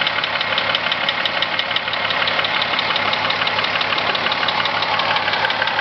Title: corrado vr6 engine knock